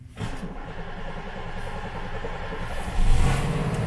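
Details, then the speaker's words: Long-stored Buick, not as old as expected, started without starting fluid after just cranking; settles into an uneven, lumpy low rumble that swells near the end; the sound was judged not good, cause unknown. "Oho! Siellä lähti käynti ilman starttikaasua sen kun pyöritti vaan. Okei, toi ääni ei ollut hyvä."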